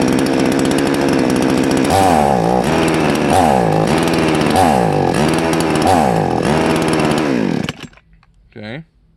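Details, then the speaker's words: Salem Master chainsaw at full throttle, high-speed jet turned too far counterclockwise: warbles and burbles, rising and falling about four times a second instead of screaming cleanly, with smoke; rich high-speed mixture. "so we went way too far counterclockwise we got smoke"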